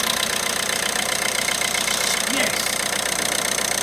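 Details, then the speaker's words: 2017 Citroën Berlingo diesel first start after new camshaft and cam belt kit, coolant low, engine mount missing: even, steady diesel clatter at idle with no knocks or misses; running smoothly and healthy. "that does sound beautiful doesn't it yeah that really really really is good news"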